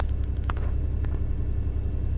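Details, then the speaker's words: 90 Series Toyota Prado after fitting a DIY 155 L long-range main tank (214 L total), idling: low, steady even rumble with no stumbles or surging; normal idle. "it hasn't died oh my God it runs it currently runs I can't tell y'all how happy I am of that"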